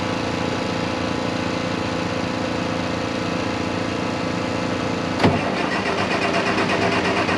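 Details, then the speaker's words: 1086 diesel tractor after injection pump work, fuel filters not changed: catches at wide open throttle, runs unevenly skipping for three or four seconds then dies as if fuel shut off; owner suspects pump timing out, possibly 180°. "what it's doing is wide open throttle it'll crank up for like three or four seconds i'll show you in a minute it sounds like it's skipping and it's like you just shut the fuel back off"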